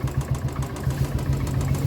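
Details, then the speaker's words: 2018 Royal Enfield Bullet Standard 350 at idle, oil vapour smoke from engine; mechanic attributes it to stuck piston compression rings, cylinder to be opened: single-cylinder thump about seven beats a second, slightly uneven strength; uneven idle. "और engine का sound भी आप सुन रहे होंगे देखिए कैसा आ रहा है तो ऐसा कोई कोई पीस ऐसा आ जाता है जिसमें ऐसी प्रॉब्लम आ जाती है"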